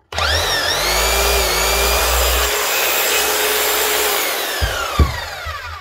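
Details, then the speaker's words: 2017 Keyang KH5000M hammer, customer reports no hammering: motor spins up to a smooth steady whine with no hammer blows, likely dried grease or worn O-rings, fixed by service with new O-rings and grease; no hammer action. "Motor sounds good, anyway. Customer says it's not hammering."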